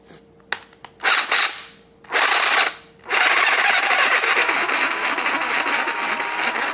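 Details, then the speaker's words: Snap-On CBR 30 12-volt cordless drill with a broken forward/reverse selector switch, run before teardown: short high-pitched whirring bursts, then a steady run with a coarse gritty rasp; rough gearbox, owner suspects it needs lubrication. "doesn't sound good either way it does it probably some some lubrication"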